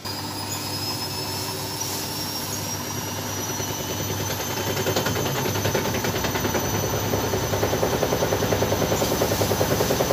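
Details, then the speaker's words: Front-load washing machine spinning up: heavy rhythmic thumping about three beats a second builds as the drum spins, the machine rocking because its feet were placed incorrectly. "penempatan kakinya yang salah sehingga menyebabkan getaran kayak diawal tadi kayak yang video dikirim oleh Orangnya tadi"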